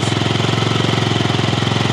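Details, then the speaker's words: 2007 Yamaha C3 XF50 scooter under restoration, replacement fuel tank, on jump charge: after the fuel pump cleared air from the line it fired right up, a fast even putter of about nineteen beats a second with no misses; normal idle. "The fuel pump still had a bunch of air that it was sucking up and trying to push through the line. But after that, fired right up."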